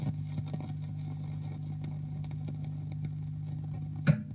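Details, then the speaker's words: 1960s Strauss Emperor Australian guitar amp after all electrolytic caps were replaced to fix redplating: steady mains hum with scattered crackles and a loud pop. "I'm gonna turn the amp back on standby cause I don't want that crackle to start damaging anything else"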